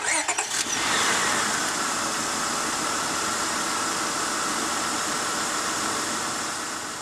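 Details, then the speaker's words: Honda Odyssey V6 with the known bad ignition coil pack refitted for comparison: cranks, catches and settles into an uneven, stumbling idle; misfire from the failed coil pack. "I have replaced the bad coil pack in put it back in the van just for the sake of showing you the difference and how much stumbling there is when I turn on the vehicle with that one in place"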